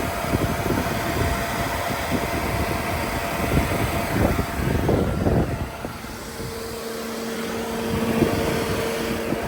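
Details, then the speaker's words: Ford Flex with overheating issue, one radiator cooling fan wired directly to the battery via an emergency bypass switched from inside the car: steady fan whoosh with faint even hum, no knocking or scraping; normal cooling fan running. "So there you can hear it. It's not running. The fan is running."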